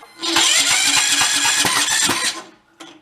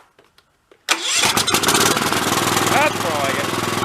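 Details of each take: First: About 20-year-old Cub Cadet riding mower, throttle in the middle: short cranking burst with ragged, uneven chuffs that stall and fight back against the starter; sheared flywheel key throwing timing off, some smoke suggesting possible blown head gasket. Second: 20-year-old Cub Cadet riding mower after freeing a stuck, over-tight choke: cranks, catches within a second and runs a steady putter; slight tinny rattle, suspected internal muffler or muffler pressed against frame.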